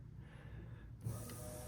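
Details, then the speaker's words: 1985 BMW E30 318i with the fuel pump jumped: a faint steady electric whir of the fuel pump running. The engine runs but with no throttle response, loud from a blown muffler, and won't run without the pump jumped. "hear the pumps there she is it's a little loud"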